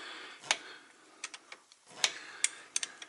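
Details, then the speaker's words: Truck "Big Blue" in the shop, air brakes: S-cam turned with a wrench to mimic brake application. Crisp, irregular metallic clicks, a few spaced ticks; the slack adjuster's internal geared ratchet is working normally. "What it is, it's kind of like a ratchet you got to think of, and it's got gears inside there. And if you do it a whole bunch, it's going to tear those gears up."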